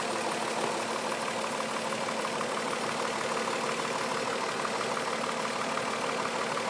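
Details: 2004 Mazda 6 3.0L V6, 94K miles: uneven rough idle with a dull low knock repeating about three times a second; cause unknown to owner.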